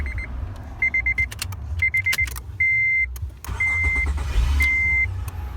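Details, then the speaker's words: 2006 Acura TL after ignition starter switch replacement: chimes, then a clean crank and the engine catches with no buzzing at the starter relay. The intermittent starter grinding at initial turnover still remains. "Right now, I tested at first and I don't hear the buzzing noise. It sounds a little bit more healthy. So no more buzzing noise."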